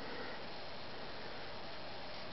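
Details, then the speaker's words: Emerson Heat Fan HF-152 industrial ceiling fan, 1981, K63 motor rated 1.3 A, on medium speed (won't start on low); steady hiss of worn, dry bearings, shot from the hot-running motor breaking down the grease, need replacing. "You can already hear the bearings hissing. The bearings are shot and they will need to be replaced."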